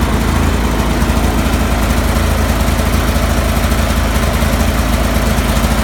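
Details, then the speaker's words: Cub Cadet 3184 with Kohler CH18 18 hp twin: a low, thumping idle that pulses unevenly and never settles into a steady rhythm; rough idle of unknown cause. "Cub Cadet 3184 with a Kohler 18 horse CH18 weird idling issue."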